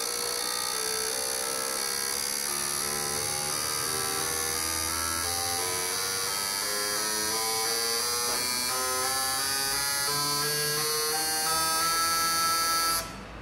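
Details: Fuel injectors from a Corsa Classic 1.6 (car towed in, wouldn't start, dripping injector) after cleaning and new seals and screens, tested on the bench: fast, steady even electric ticking with no gaps, no dripping; healthy injectors.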